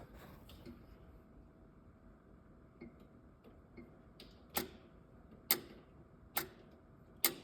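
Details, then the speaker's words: John Deere 450C bulldozer, fuel shutoff solenoid after fixing a pushed-back pin in the lower connector: four sharp clicks a little under a second apart, solenoid now powered and working normally. "hear it clicking bet she starts now"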